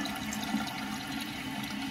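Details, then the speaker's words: Toilet tank: water rushing and trickling steadily without shutting off; flapper lands off-centre and fails to seat after flush, handle partly interfering; fix is replacing the flapper. "So when the flap comes up, it doesn't always land back centered. You can see it's a little off center now."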